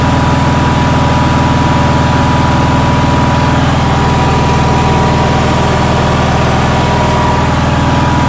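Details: Onan generator running on a cold day: steady, fast, even drone at about four beats a second. Outlets read 160 and 170 volts, and the idle won't come down further. The owner thinks it idles way too fast; cause unconfirmed.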